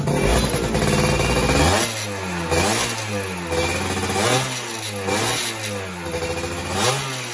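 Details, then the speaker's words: Two-stroke motorcycle engine after rebuild, carburettor needle re-set after earlier bogging and heavy throttle: crisp throttle blips rise and fall cleanly without hesitation; engine now runs normally. "Oke, nih setelah udah di setting lagi tadi di jarumnya, ini jauh lebih baik ya. Tadi kan masih ada ngok-ngoknya dikit, terus berat juga di gasnya saya. Sekarang udah jauh lebih enak."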